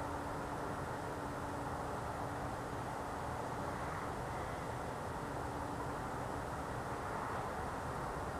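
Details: Heard through a window at 1 a.m. on a cold night, lasting several nights: steady low drone with a faint constant tone, not a generator; a loud strange idling noise of unknown source.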